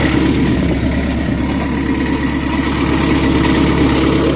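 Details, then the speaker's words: Skid steer, sat for 5 years, new engine fitted, running at 36°F: steady, somewhat uneven diesel idle with faint light scraping underneath; owner suspects a cover touching at the back, not confirmed. "Sounds like I got that cover touching back there."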